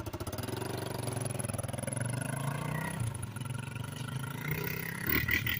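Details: 1987 Kawasaki Mojave 250 ATV after repairs (tube in tire, other tire plugged), riding: quick single-cylinder putter picks up crisply with throttle, pulling cleanly with no knocks or misses; runs well.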